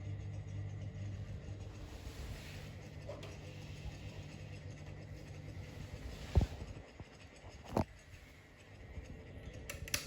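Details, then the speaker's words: Fan running on medium after its capacitor was replaced with an identical one, now faster than before; the base is not bolted down and it shakes a bit on high. A soft, steady, even hum with no rattle or scrape: normal. "I think that's decent speed for low. It's faster than what it used to run with its old capacitor on high."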